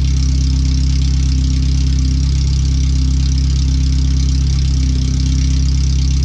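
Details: First startup after a header swap, new fuel filter, relocated O2 sensors and an added wideband bung; header only, with the rest of the exhaust not yet fitted. Deep, loud, unmuffled idle barking straight out of the header, far too loud. The computer reads 5–7% rich.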